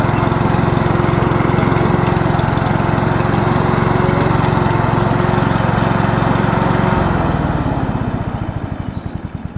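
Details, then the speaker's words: Honda HRU216 self-propelled commercial mower test-run at low idle on grass after clutch cable replacement: single cylinder runs steady and even at a fast beat, no misses or knocks, then eases off; gearbox engages all three gears. "And the gearbox is engaging in all 3 gears, so that's right for us to put to use now, and we'll just look at probably adjusting that clutch again as it starts to stretch in about 2 or 3 days."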